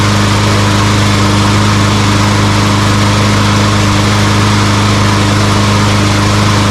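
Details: Walmart Hyper Tough push mower that wouldn't start, with compression and spark confirmed: after the carburetor was cleaned, the small single-cylinder engine holds a steady, even drone with no surging or sputtering. Normal running.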